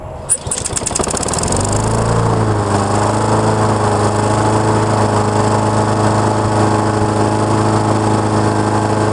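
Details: Honda mower with auto choke repair, reported to run briefly then shut off: quick start, then a steady even drone holding speed without surging or dying over nine seconds while warming up.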